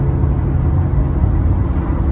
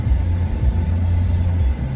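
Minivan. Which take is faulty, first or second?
first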